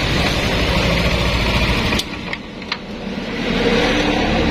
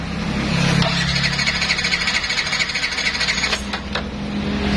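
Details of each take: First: Yamaha Nmax scooter after repair of a wiring fault that caused crank-no-start: engine note dips, then settles into a steady, even idle that builds back smoothly with no stumbling; normal idle. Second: Yamaha NMAX no-start: the electric starter whirs in several bursts and the engine spins freely but never fires. Fuses, spark plug, coil and ECU tested fine; the fault was in the wiring.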